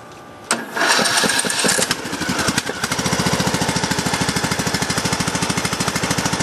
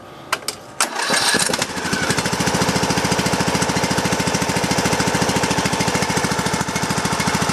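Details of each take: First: Craftsman LT2000 single-cylinder mower on a jumper pack with a low battery, after sitting two weeks uncharged, no choke and throttle down: starter drags briefly on ragged first turns, then settles into an even chug. Possible moisture from overnight rain. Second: Craftsman LT2000 riding mower single-cylinder engine, started on jumper pack with low battery after sitting two weeks, fuel pump fitted: catches, then even rapid thumping with tinny exhaust bark; running smoothly and healthy.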